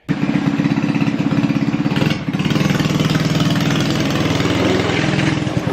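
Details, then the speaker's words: 1999 or 2000 Ski-Doo Mini Z kids' snowmobile, sat in pieces for years, reassembled: small single-cylinder thump at a steady, even idle with no hunting; weak throttle return spring now returns to idle but needs beefing up; normal idle. "so I am going to have to fix up that spring a little bit better just so that I know it's safe for the kids but we got it running"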